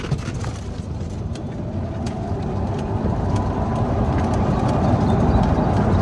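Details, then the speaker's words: Club Car Precedent golf cart with Madjax triple track roof, after the squeak fix, driven over a bumpy road: only tyre rumble and light road knocks, no squeak or rattle from the roof; fix worked. "there super quiet right here is where it's going to be super annoying or where it was is quiet super quiet that fixed the problem"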